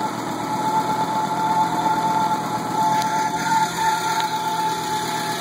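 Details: 20V turbo engine, first run after rebuild: steady, even idle with smooth hum, no knocks or misses; running cleanly.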